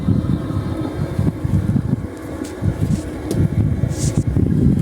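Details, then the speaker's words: Diesel irrigation water pump in a rice field, engine stopped, exhaust broken off; deep, uneven low rumble with gusty surges and no firing rhythm, very loud from the water discharge pipe; cause uncertain, possibly a leak. "Dari sini kok ada suara yang aneh. Suaranya masih terdengar. sangat banter dengan pipa sini."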